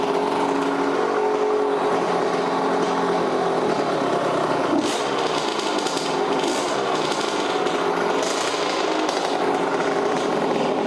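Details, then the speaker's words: Neglected 1983 Yamaha YZ80 two-stroke, first start after new Wössner piston kit, started on second kick: high buzzy steady fast idle without stumbling; runs fine, though fuel is leaking from the fuel line. "Got a fuel leak, but it runs. [snorts] But it's leaking fuel. It's leaking fuel from that fuel line. Man, she cranked like second kick."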